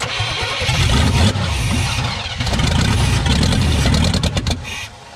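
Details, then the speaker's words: Chevy K2500 TBI 350 V8 that sat 10+ years, with a rat nest cleared from the throttle body: starter cranks evenly, then it catches and revs roughly only on gas sprayed into the intake from a bottle. "what we need is a water bottle to put some that gas in so we can just [ __ ] spray it in there"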